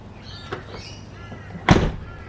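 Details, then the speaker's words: Toyota Levin (AE86), 36 years old: door swings smoothly with one soft tap and a closing thud, no clicking after the check strap holes were drilled to 8 mm and fitted with a bushing. "And as you can hear, no clicking of the door. It just works, which is nice."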